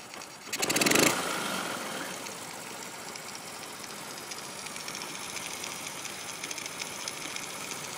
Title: Honda c70 rough idle